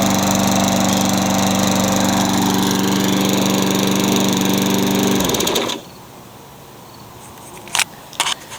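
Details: Craftsman mower with engine swapped in for the blown Tecumseh, running after the kill switch and coil wiring were fixed to restore spark: steady, even single-cylinder drone for five seconds, then clean shutdown; runs smoothly.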